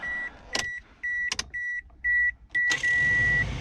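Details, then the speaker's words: 2002 Toyota RAV4 (replaced engine) cabin, key in accessory during HVAC vent troubleshooting: steady high beeps about two per second over a quiet cabin; door-ajar warning chime because a door is open. "So, goodness, it's annoying beeping, because there's a door open. To accessory. I apologize for the beeping, but not much I can do about that at the moment."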